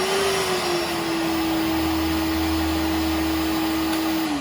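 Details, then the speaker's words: Milwaukee PACKOUT 2.5 gal wet/dry vac (0970-20), Fuel battery-powered, on low setting: smooth steady motor whine at even pitch, no rattles, dipping at shutoff; not obnoxiously loud, with good suction. "Without a doubt, guys, it has a great feel to it. It's not too obnoxiously loud. I mean, it is a vacuum, so a vacuum is going to be a vacuum."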